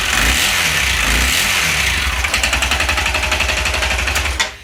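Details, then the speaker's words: Honda CRF250L with 305cc kit: failed piston rings blew oil into the crankcase and airbox; engine runs with a loud, rough metallic rattle, about four hard knocks a second, the connecting rod bouncing on the crank. "yeah it runs but you can hear the connecting rod bouncing around on the crank so it's gonna hammer itself to pieces is what's gonna happen"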